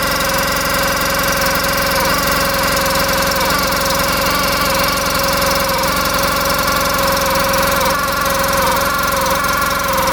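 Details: 2014 Polaris RZR 800 UTV with milky oil from coolant mixing and coolant squirting by the water pump, brand new clutch and belt: a raspy, wavering rub over the fast idle sounds bad; sellers suspected the tight new belt squealing.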